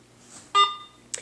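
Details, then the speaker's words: Garrett AT Pro metal detector, switched on after sitting unused a week following erratic "freaking out" in water (possibly got wet inside): short clean tone then brief chirp at power-on, nothing erratic; powering up normally with default settings. "so you can see it's not freaking out right now um and this is all the settings that it does on its own when you first turn it on"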